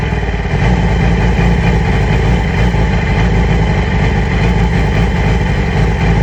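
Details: 2008 Yamaha R6 motorcycle: uneven, lumpy, stumbling idle with loud low rumble; rough idle, cause unconfirmed, owner has ordered new ignition coils and spark plugs.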